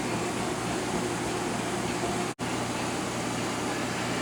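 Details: Dishwasher drain cycle after installing a new air gap: even rushing hiss of water through the drain with smooth pump drone, no gurgling or sputter; draining properly.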